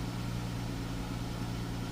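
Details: 2012+ Chrysler 300 after wiggling bad wire to restore crank sensor signal and clearing multiple engine codes: steady, even idle with smooth low hum, no misses or knocks; crank signal now good, no codes.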